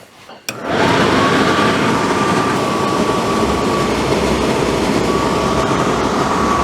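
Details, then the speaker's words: Suburban RV furnace, reassembled in its case after a no-gas, no-ignition fault: a sharp click as it lights, then a steady, even blower rush with a faint constant hum. Lights right up and runs normally. "all right well it lit right up uh so i'll do that i'll let it let it run for a little while just burn any stink out"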